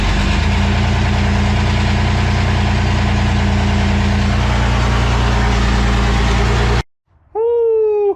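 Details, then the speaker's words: Ford Ranger V6 first start after a three-week engine reassembly: steady, deep, even idle for about seven seconds with no misses or knocks. Normal idle. "about them apples she's running oh she's running"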